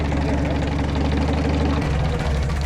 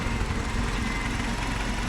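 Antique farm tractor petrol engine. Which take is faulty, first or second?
first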